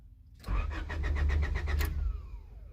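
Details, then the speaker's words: Honda Del Sol, clutch pressed: starter spins the engine at about six beats a second but it never catches; no fuel pump sound, no fuel; fuel delivery problem suspected, cause not confirmed. "the fuel pump is not on it didn't come on but the starter does spin watch"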